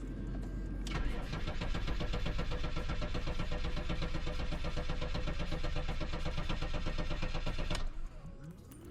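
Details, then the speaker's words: BMW M5 with an almost-dead battery, started on jumper wires (owner also thinks the pump is broken): fast steady cranking, about four beats per second for seven seconds, then it stops without clearly catching; hard start. "but with the wires it starts i think that the pump is broken"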